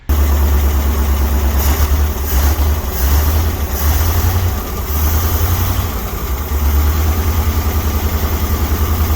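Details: 1961 Dodge C800 truck's V8 revived after years sitting, running on gas mixed with ATF and Marvel Mystery Oil, smoking and using fuel fast: deep idle surging and sagging unevenly, loping and rough from a big air leak still to be fixed.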